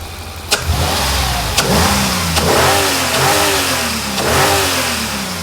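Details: Mercedes SL55 AMG supercharged M113K V8, almost 200,000 miles, warmed up, just after installing new double idler and tensioner pulleys replacing the plastic ones: engine blips up and settles smoothly, no belt squeal, chirp or grinding.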